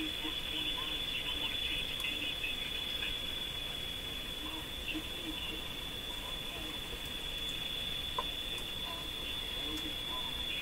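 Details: Sparton Model 5049 AM tube radio, adjusting trimmer while tuned at the low end of the AM band: steady high-pitched whistle over faint static and chirps as the set breaks into oscillation; cause suspected, not confirmed.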